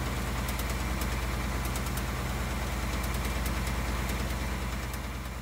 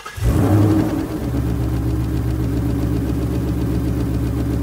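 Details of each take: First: 2018 Ford Mustang V8 (Coyote) at idle: light, irregular barbecue-igniter-like tick from the bottom of the engine, coming and going over a steady deep idle; intermittent engine tick, cause not confirmed. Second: 2018-2019 Ford Mustang V8 starting and idling: steady, even light ticking from the direct-injection pump, consistent and normal, unlike the intermittent problem tick heard from under the car.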